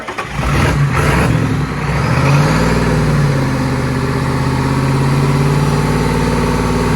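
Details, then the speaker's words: Diesel truck with DPF hood stack fed real gasoline poured down the intake; engine catches and climbs to a hard sustained high rev with no throttle input, running away on gasoline, still running until shut off with the key. "just to prove it to you that i'm not scared to run gas through this truck we are going to be dumping it right right down its throat and see how it likes that"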